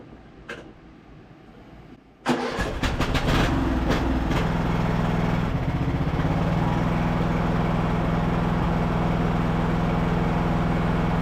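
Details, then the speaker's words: Craftsman LT1000 riding mower revived after sitting, on a 160 CCA battery testing at 164 CCA and 67% charge: a few cranks, catches quickly, then an even steady run with no misses or knocks; normal running. "So we'll probably have to adjust the brakes, but it's running really smooth."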